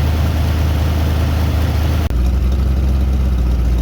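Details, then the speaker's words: Freshly rebuilt Ford 289 V8 after break-in, timing set at 10–12 degrees, warm: deep, even idle burble with no knocks or misses while the air-fuel mixture screws are adjusted so the engine smooths out. "And once the engine sounds like it is actually stalling, you're going to back off of it until the engine smooths out."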